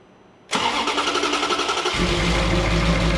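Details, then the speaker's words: Ferrari 360 V8 first start after degreeing exhaust cams, with intake cam assembly marks found one tooth (24°) off: quick crank, instant catch, smooth even idle with no miss or tick; smoothest it has run since arriving. "Oh! That is the smoothest I can say safely that's ran since it's gotten here."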